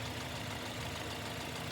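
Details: Running engine at idle, ultrasonic contact probe on center bolt of new idler pulley for baseline, about 694 mV amplitude: steady even hiss, no ticks, rumble or rough spots; new pulley healthy.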